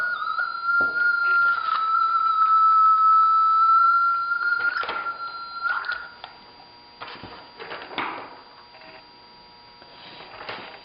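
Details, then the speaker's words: Race-timing communication equipment linking the timing building with start and finish. A sustained high whistle wavers slightly in pitch amid clicks and bumps: audio feedback from a plug not fully seated; seating the plug properly stops it. "you have that squealing feedback, it's because this plug is not seated correctly. When you seat this plug correctly, it will all work."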